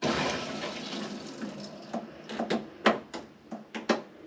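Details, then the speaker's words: New shower pipework under a bathroom floor pressure-tested with outlets capped: water rushes in, then eases into scattered sharp creaks and ticks as the new pipes fill and settle; pipework holds pressure, no leak. "You can hear it cracking and creaking. So that's that one, pressurised up to there."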